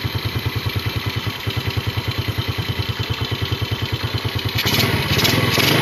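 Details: Yamaha Vega RR/ZR single after combustion-chamber carbon cleaning with foam cleaner: even putter of about eight beats a second, then picks up cleanly when revved; normal idle and rev.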